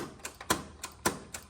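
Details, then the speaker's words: John Deere 318 lawn tractor repowered with Kohler 25hp, key start: sharp single clicks with no cranking. Only about 7 V reaches the starter solenoid from the key switch, through the safety switches, instead of 12 V. Fix is an add-on relay kit. "It's just a click. And I checked it and I got like 7 volts coming from the key switch where I need 12."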